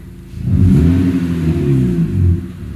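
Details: Honda Civic after winter lay-up, revved with the muffler removed: deep, throaty rev climbs and settles smoothly with even firing and no knocks; healthy engine, just loud.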